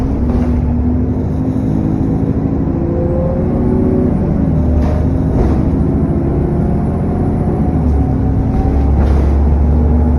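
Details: SN61 DDE E210 on a dead run back to MB: heavy low drone under way with shifting tones and a faint high whistle on top, turbo whine and cooling fan roar.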